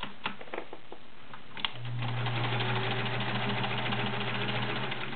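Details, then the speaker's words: Sears Kenmore Model 1774 sewing machine, 1.2 amp motor, size 16 needle sewing 12 layers of cotton: steady motor hum with even stitch ticks three to four a second, no labouring; healthy machine. "12 layers of cotton using a size 16 needle machine treats it like it's two layers of time"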